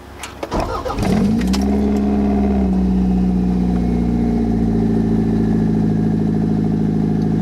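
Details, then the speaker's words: 1991 Toyota MR2 swapped with a CT26 turbo, open downpipe with no exhaust silencing, on an 83–85°F day. Cranks, catches and settles into a loud raspy idle with deep boomy drone. Owner suspects a vacuum leak and an overheating problem, coolant needs rebleeding. "this is open downpipe oh it's pretty loud so let's get on the way"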